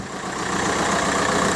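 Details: VW Golf Mk4 PD130 diesel after injector loom replacement and EGR valve refit: even clatter at steady idle, no stumbles or hunting; no vibration, running like it should; normal idle.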